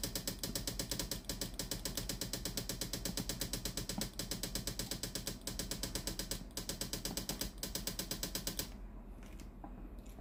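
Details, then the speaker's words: Philips steam iron model AIS8540/80, heater hot, steam mode selectable, steam button pressed after ready light stops blinking; fast, even ticking pump runs but no steam comes out, failed water pump. "ลองกดปุ่มจ่ายน้ำดูมีเสียงปั๊มน้ำทำงานนะครับไม่มีไอน้ำออกมาที่ฮีตเตอร์ด้านหน้าของเตารีดนะครับ"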